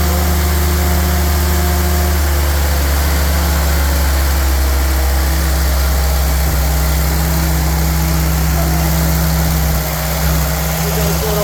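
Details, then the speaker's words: Rebuilt '48 Willys spare four-cylinder engine, choke set a little, 30 psi oil pressure, steady, even low idle with a smooth drone, no knocks or ticks or bad noises; normal idle. "So the spare engine off. And not making any bad noises."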